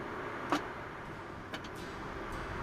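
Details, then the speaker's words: 1977 MGB roadster won't crank even after the battery was charged: three sharp single clicks about a second apart, engine never turns over. Tapping the starter didn't free it; faulty starter solenoid, starter to be removed. "i charged the battery first to see if that was the issue but it still wouldn't turn over it just makes clicking noise"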